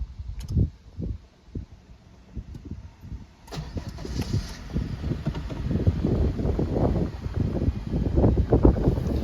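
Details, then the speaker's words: Honda K20Z3 Si engine swapped into a base RSX with 5-speed, push-button start: brief cranking, then it catches cleanly and settles to a steady, even idle; check engine light on from base ECU (butterfly valve, possibly IAB sensor), runs well. "it has a check engine light because it does have the base ECU in here. So there's like the butterfly valve and I think an IAB sensor or something, but sounds pretty good."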